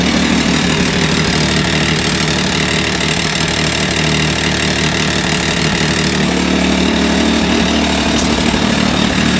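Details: 2023 Can-Am Maverick X3 DS Turbo idling right after an oil change: steady, even idle with a busy buzzing note and no knock or rattle; a brief engine knock earlier went away, and it runs normally.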